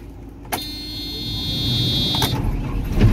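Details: JCB 3CX backhoe diesel with an immobilizer that blocks starting on the key until the tag is presented: a sharp click and short chirp, then it catches and builds to a steady, even rumble; a normal start.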